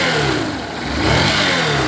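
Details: Yamaha Fazer 150 revving: a turbine-like whine climbs with the rise and fall of the revs, caused by a burnt stator rather than internal engine damage.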